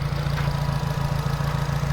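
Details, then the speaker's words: 2008 Nissan Grand Livina automatic idling right after starting; low, even idle with a steady quick pulse, no knocks or ticks; vibration judged normal, exhaust good; normal healthy idle. "Tapi ini normal. Nah, getaran biasa ini pembuangan angin masih bagus sih."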